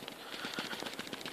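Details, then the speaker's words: PlayStation Vita shaken while off, after hot-gluing its loose battery: only light, quick clicks from the buttons, with none of the earlier heavy clicky thud from the battery moving; the rattle is fixed. "I mean aside from just the buttons themselves rattling which is very minor but uh what I was hearing before was very clicky and very thuy inside like a battery moving around and I can shake this thing like you know like Sasquatch and I don't really hear anything"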